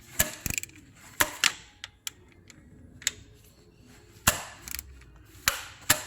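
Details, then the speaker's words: Audi Q5 non-runner after timing belt failure, camshafts turned by hand: irregular sharp clicks and gritty crunches at the fourth cylinder; pressed-on cam lobes damaged, so the cams must be replaced, not just the bent valves. "Can you hear that click and crunch? That's because everything's having a bad day in there."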